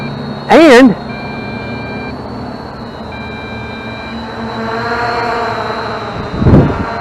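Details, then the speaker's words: Budget B6 quadcopter on its very first flight, with an onboard beeper sounding alongside the rear blinking lights; the cause of the beeping is not stated. Two clear one-second beeps about two seconds apart over the propeller whir; beeper sounding in flight. "I don't know if you guys can hear it or not, but there's also a beeper on the bird itself."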